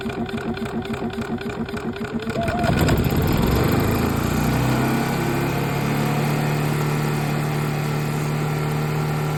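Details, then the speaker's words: RVMP 4000 generator with overload and rough idle complaint, suspected internal failure: pull start with rhythmic chuffs, then catches and settles to a drone that wavers; runs roughly when pull-started; rough running. "Dude, it sounds like they've got internal failure or something. I don't know what's going on."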